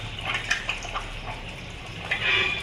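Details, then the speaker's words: LG top-load automatic washing machine on spin after the faulty drain motor was replaced: steady splashing and trickling of water draining over a faint motor hum, motor now working properly and draining. "देखो दोस्तों, अब motor ठीक से चल रही है और पानी भी निकल"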